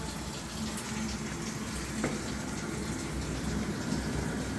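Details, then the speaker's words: Samsung top-loading washing machine that was not filling with water, after repair, door closed: steady rushing water fill with no hammering, buzzing or sputtering from the valve; filling normally. "the glass is not that transparent so you can see how it's feeling but you can hear the sound"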